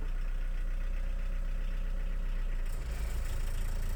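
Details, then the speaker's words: Chevy S10 pickup with 1.6L VW diesel swap, rear axle jacked up, in gear, coolant maxing at 168°F: low steady diesel rumble with driveline turning evenly, no knocks or grinding; clutch works, wheels spin, speedometer not working. "Well, the clutch works and it sounds like the wheels are spinning, but the speedometer doesn't work."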